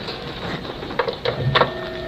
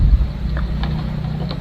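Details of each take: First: Stand fan after repair of humming/stuck motor, now spinning freely: steady, even whir with soft light hum and a few handling bumps; runs normally. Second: Stand fan humming steadily with no blade whoosh; motor continuity checks OK, but the shaft is tight and hard to turn by hand; seized bushing suspected, to be replaced.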